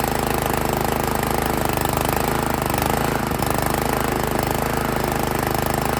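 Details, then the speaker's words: Honda GX160 single-cylinder on an Italian Workman 2 Multimixer cement mixer, running rough, choke on, idle screw being adjusted; uneven lumpy chugs about four a second, won't idle; valves set too tight. "see later yeah that's a negative on the idle"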